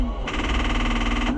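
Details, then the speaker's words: New Holland TN75 tractor during hydraulic pump swap, cranking with battery cable just reconnected: about a second of rapid clicking with no cranking, starter solenoid chattering on a low battery; jump pack needed. "And then I put that on and I went and cranked it and it just goes clickity click. So, we'll try it again. But, uh, I guess I'm going to get the jump pack."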